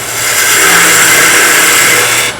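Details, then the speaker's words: Wood lathe skew chisel cut on short softwood stock, with a loud rough cutting hiss and buzzing vibration underneath. Chatter from taking too wide a cut. "it's working okay but can you hear the vibration it's too wide"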